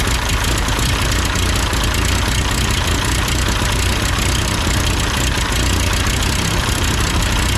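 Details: Ford 8N four-cylinder tractor that sputtered uphill with cheap replacement carburetor, after carburetor adjustment, idling: steady, even low rumble with no misses or surging; idles smoothly and sounds healthy.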